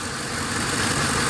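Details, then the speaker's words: Ford Explorer 4.6 V8 after fixing a P0308 cylinder 8 misfire with a replacement used part: steady, even idle with no skipped beats; a failed catalytic converter still rattles separately. "okay so we are fixed it is not missing no more and uh sounds pretty good"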